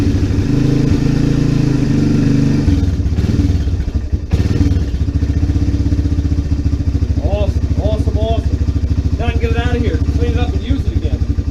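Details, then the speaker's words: Honda FourTrax 300 ATV single-cylinder engine running again after carburetor problems fixed with a better-fitting quality carb in place of a cheap Chinese one; cold start on choke and primer, then steady fast warm-up idle with no misses or knocks, burning old fuel out. "Alright, warm up a little bit. Burn some of this crap fuel out of there. She's alive again."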